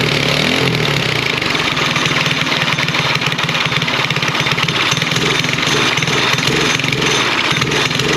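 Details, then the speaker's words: Briggs LO206 race engine fitted to a mini bike, carb being richened: runs fine on choke and idles off choke with a rough, uneven beat but won't rev up at all; lean running, owner plans to check jets and valve clearance. "so yeah as you can hear uh it runs great on the choke uh and then idle's fine and everything uh when it's not on the choke uh but then won't rev up at all so uh yeah i have some more to figure out with that"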